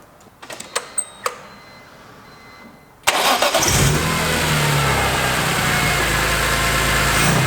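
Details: BMW E46 M3 with S54 engine just after installing the PSDesigns velocity stack conversion on its ITBs: a few clicks, then the engine catches and settles into a loud, throaty, even idle with strong intake roar; healthy start.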